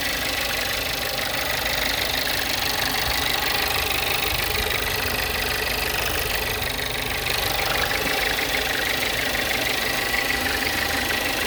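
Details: Volkswagen Jetta at idle: light, fairly regular tapping, about three a second, over a busy idle; a knock-type noise of unclear source.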